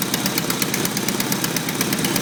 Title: Idle with exhaust leak on downpipe